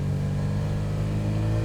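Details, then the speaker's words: Supercharged MGB with new supercharger camshaft, on the road building from 2,000 rpm: smooth, steadily climbing note with supercharger wind-up; boost arrives earlier than the previous 3,000–3,500 rpm and more progressively, though timing still isn't right. "The supercharger wind up boost. I can see the boost a lot earlier and it's feeling a lot smoother as it's coming in. It's boosting more progressively."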